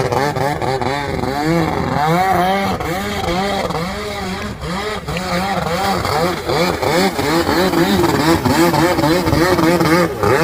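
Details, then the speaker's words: Restored Kawasaki X2 750 two-stroke jet ski, engine-swapped, on the water: crisp two-stroke buzz rising and falling smoothly with each throttle blip over splashing water, clean pickup, no misfire; healthy normal running. "That sounds amazing."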